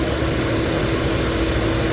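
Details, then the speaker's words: Hyundai petrol/CNG car with misfire code P030400, idling on petrol after repair: smooth, steady hum with stable rpm, no stumble or misfire beat, no fault codes; normal idle. "देखिए अभी RPM भी एकदम फ है जैसा चाहिए वैसा हो रहा है इंजन भी एक बार दिखा देता हूं आपको इंजन स्टेबल है या नहीं है देख सकते इजन भी एकदम स्टेबल"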